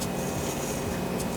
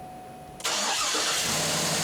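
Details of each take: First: Cadillac Escalade (2007–2014) alternator removed and hand-spun: rough, gritty grinding from worn internal bearings; replaced with a new alternator. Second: 2007-2014 Cadillac Escalade after alternator replacement: engine starts quickly and settles to a steady even idle with no knocking, faint whirr from the water pump, which the owner suspects will fail soon; normal start and idle.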